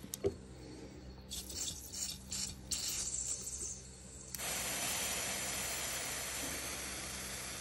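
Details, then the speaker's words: Injector from a rough-idling Polaris Ranger 800, bench-pulsed with a 12V battery and pressurized with carb cleaner. Quick clicking pulses, then ragged, uneven hissing spray; the spray pattern is terrible, consistent with clogging. "let's press pressurize it again yeah the spray pattern is terrible on that one"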